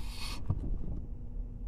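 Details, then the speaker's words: 2010 Ford Escape FWD EV conversion with a 12 V Karlsson Robotics D2028 electric vacuum pump on the original brake booster, pump run about 30 s first: a short air hiss as the pedal is pressed and vacuum fills, then a low pump hum. The pedal goes much further and braking is easier, a normal booster. "you can hear it sounds like a release of air that's the vacuum being filled and i was able to push a lot further down than before"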